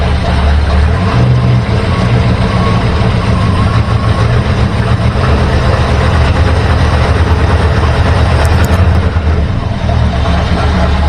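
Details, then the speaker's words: 1964 Ford Galaxie V8 with new plugs, wires, points and rebuilt carburetor: uneven stumbling beat as it comes off idle; timing light showed spark lost, apparently on cylinders six, three, seven and eight. "soon as we come off idle we have a serious misfire so i just happened to when i was doing the tune-up have my timing light out and i noted that i was losing spark as soon as i came off idle"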